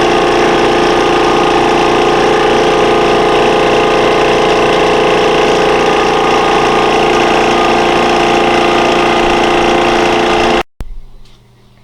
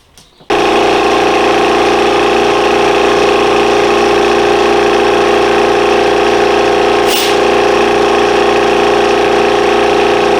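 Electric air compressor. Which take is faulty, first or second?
second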